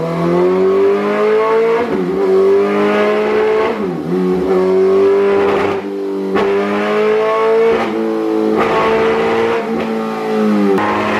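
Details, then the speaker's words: 2008 Suzuki GSX-R1000, previously ECU-mapped, warmed up, on a dyno baseline pull under load: revs climb, then sag and stutter every few seconds instead of pulling cleanly; fuel starvation misfire, failing fuel pump. "all right guys so we did just Baseline the jiger and as you guys could tell by that audio it doesn't sound right um the other kicker is and we'll show you the graphs here after another few runs we'll show you the guys the graphs but uh basically we're having some kind of fueling issue"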